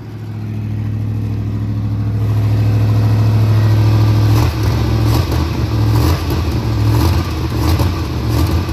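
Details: Big-block Monte Carlo street car, just got running and timed after rear end install, distributor still to be tightened: big V8 runs strong with deep rumbling beat rising and settling with revs; normal running.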